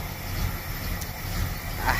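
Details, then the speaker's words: 1977 Chevy Camaro, newly bought restoration project, restarted after work; owner suspects an aftermarket cam: low, uneven exhaust pulses rising and falling with a choppy, loping rhythm; lopey idle, cause unconfirmed. "i don't know if you hear that but it's very lopey like it's got a cam in there um"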